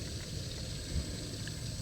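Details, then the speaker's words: 2012 BMW E70 35d after thermostat replacement and EGR cooler removal. The engine is off and the heater is set to maximum to run the electric coolant pump, heard as a low, steady hum with a faint trickle as it bleeds and recirculates the coolant. "I don't know if you can, well, you can't see it from inside here, but if you can hear that, it's recirculating the coolant."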